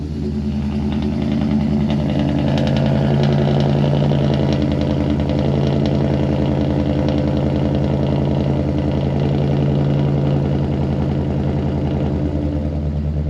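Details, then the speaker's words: 2023 Thor Quantum KW29 motorhome, Ford 7.3L V8 on the E-450 chassis, started after removing a loose bracket rattling on the heat shield: very loud at start, then a deep, even idle burble with no rattle. "this motor's got a a cork to it when you fire it up it gets very loud and after a moment the the noise settles down"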